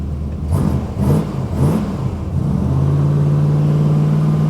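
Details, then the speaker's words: Cold start V8: a few throttle blips, then a deep, even, steady V8 idle with no knock or tick and high oil pressure; healthy normal idle. "Got plenty of oil pressure in here. Where is it? Right there. High. It's good."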